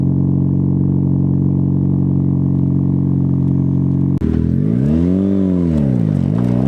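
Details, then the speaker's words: Car with a newly fitted performance muffler, packing not yet broken in, just after cold start: steady smooth idle drone, then clean revs rising and falling without rattles or blow-by; normal idle and revving, exhaust sounds healthy. "so there you guys go car sounds amazing"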